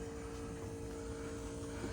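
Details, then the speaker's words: 1977 Lincoln Mark V derby car with 302 from an 1989 Mercury Grand Marquis, on connecting ground before start: steady even mid-pitched hum for two seconds, electric fuel pump priming normally. "okay now we can hook this up and you should hear the shield pump there she goes"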